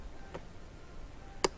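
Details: 2006 Honda Rancher TRX350 ES ATV with a new battery and a newly replaced starter relay solenoid: single sharp clicks at the key with no cranking. Starter motor suspected next, not confirmed.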